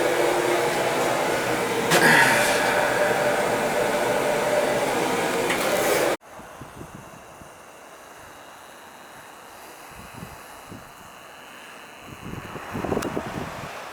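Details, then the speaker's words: Viessmann oil-fired boiler, after a new nozzle and reset pump pressure: steady, even burner roar with no spitting or sputter, good oil flow, no smoke. Burner firing normally. "all right new nozzle reset pump pressure and good oil flow you can hear it's not spitting spiderman or nothing"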